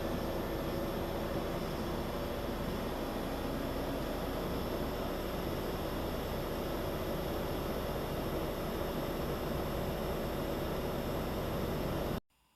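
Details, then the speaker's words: Bosch multi-zone mini-split outdoor unit after automatic wiring correction (CE) and 3-minute compressor delay; compressor hertz ramping up on LED display, steady even whoosh of fan and compressor with no rattles, knocks or squeals, running normally. "Once the 3-minute delay for the compressor to be energized is completed, you'll begin to see the hertz increase to the compressor as indicated by the number on the LED screen. If you listen carefully, you can actually hear the outdoor unit ramping up as the number on the screen increases."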